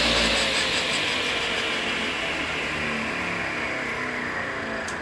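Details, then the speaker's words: Craftsman table saw with flexible-shaft drive, after cleaning and reassembling the bearings: steady even high whir settling smoothly with no grinding, rattle or rumble; normal running. "and as you can hear i clean the bearings on this one put them back together"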